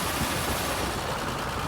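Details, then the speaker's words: 1991 Toyota FJ80 Land Cruiser; rapid, harsh clicking only when turning left, louder under throttle, from a dry, worn left front birfield (CV) joint, temporarily fixed by regreasing. "now this noise only occurs when i turn my wheel to the left so i know it has to do with one of my joints on my left side of my axle"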